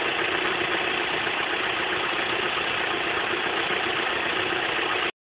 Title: 04 Cavalier 2.2 Ecotec timing chain rattle